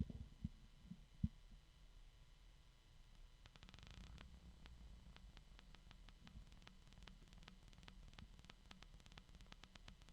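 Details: bgears b-blaster 140x38R case fan, replacement unit after the original's bearings failed and clacked, spins up to a smooth, steady hum with rising pitch and no grinding or rattle; much quieter, normal running.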